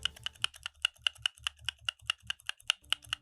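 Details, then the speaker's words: Unlubed NovelKeys Cream+ linear keyboard switches, stock: fast typing with a thin metallic ping and rattle on each keystroke; the stems are loose, with considerable wiggle room. "To me, this sounds like the switch is loose, and on inspection, the switch stem has a considerable amount of wiggle room."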